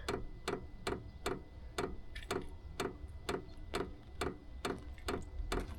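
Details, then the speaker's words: Vevor 5 kW diesel heater at startup: sharp loud fuel-pump ticks about two per second over a quiet background. "So this here is the aftermarket fuel pump. It's by a company called Wayska on Amazon, and it goes for about $50. And it's supposed to be a lot quieter from all the reviews I've seen, but I figured I'd check it for myself and make a video about it. So this is what the fuel pump sounds like starting up."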